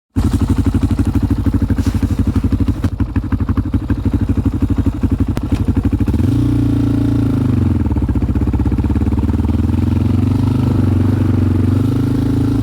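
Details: 2001 Yamaha Raptor 660 with Hotcams stage 2, cam timing not perfect, safety switches bypassed, same fault with old and new carbs: ragged, skipping misfire at low RPM that smooths out as revs climb, then it takes off like a rocket.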